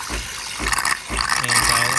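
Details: DeLonghi Nespresso Lattissima Pro brought in for not frothing milk, tested with water instead of milk after cleaning: gurgling, hissing steam bursts in uneven surges drawing liquid through the frother; steam flow getting through normally.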